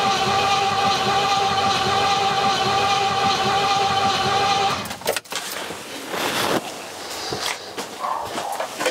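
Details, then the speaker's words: Rover P6 with 4.6 V8, fuel reaching carburetors and timing previously set: long, steady cranking nearly five seconds, never catching or firing; crank no start, cause unfound. "i am confused everything was left set up so it would work last time james was here the timing was set up right we've done everything we checked everything possible i just don't know why it won't go"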